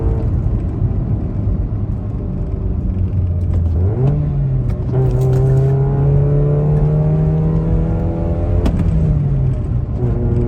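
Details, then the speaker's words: Toyota Echo 1.5, 391,000 miles, near-straight-pipe exhaust, after a misfire that caused low-rpm hesitation and gurgling was fixed: accelerating at full throttle, revs climbing smoothly with no stumble or popping; normal acceleration. "So yeah, I'd say it's running a whole lot better."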